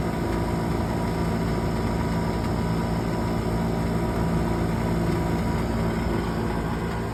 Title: Furnace Buzzing Noise